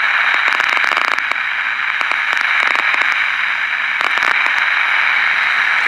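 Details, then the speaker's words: 1967 Zenith Royal 51 AM/FM transistor pocket radio: constant AM hiss with irregular sharp crackle bursts and no clean station; the antenna capacitor is too small for this antenna, and the right value is being sought (about 29 pF at 1260). "obviously the capacitor that's in here is way too small for this antenna so I'm trying to find the right capacitor value"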